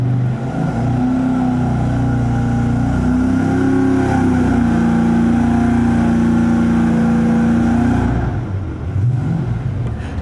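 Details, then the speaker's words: 5.3 L LS Chevy (LM7) with Holley Terminator self-learning throttle-body EFI, just after first start: loud, steady V8 drone holding a high idle; the idle is too fast, possibly because it is cold with the throttle blade fully shut. "we're doing right now is looking at how the idle speed is really fast, and that might just be because it's cold, because he's got the throttle blade all the way shut."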